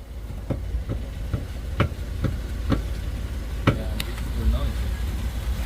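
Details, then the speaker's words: 2005 Lexus RX330 3.3 L, 229,000 miles, body rocked: sharp irregular metallic clunks about twice a second as the rear knuckle bushing in the lower arm moves back and forth; fix is replacing whole knuckle assembly. "stop the whole bushing is moving back and forth right here in this lower arm the problem is this bushing right here"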